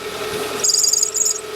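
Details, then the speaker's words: 2010 Hyundai Tucson 2.0 16-valve with manual gearbox squeals and warbles when started cold and when the steering is turned, as the belt binds and slips; the noise persisted after the power steering pump was replaced, and the belt runs via a double-pulley water pump. "vou mostrar para vocês quando ligo o carro frio ele canta e Quando viram o conde esterço do volante a correia trava"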